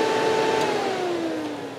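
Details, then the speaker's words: Classic car cooling system: thermal switch near the thermostat housing bypassed to ground, and the electric fan whirs up with a clear steady hum that eases slightly lower as it settles; the fan motor works fine, the switch is suspect. "that's the switch that's going not and i need to make my shortcut here to ground and then see and there goes the fan"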